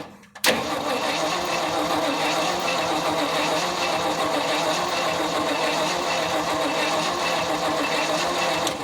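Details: 1975 Ford F500 rollback truck that sat 17 years, test light on the coil negative to check the points, coil positive unpowered: steady, even starter whirr cranking about eight seconds without firing. Normal cranking with ignition disabled.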